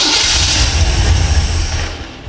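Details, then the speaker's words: Engine on a stand with a newly installed FiTech throttle body EFI, after fuel prime, fires on cranking but dies within two seconds with 0 RPM shown. "engine fired, but we still show 0 RPM. Another explanation of what could happen here that wouldn't apply in our application on the engine stand is the key wire. If that key wire is accidentally hooked up to the accessory position of a fuse block, it's shutting off during cranking."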